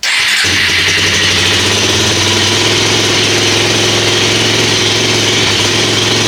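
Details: Kawasaki KFX400 quad after sitting outside a wet winter, serviced with oil/filter, new carburetor and cable, on lithium battery, fueled and choked: brief crank, catches and settles into steady even idle, no misses; normal start.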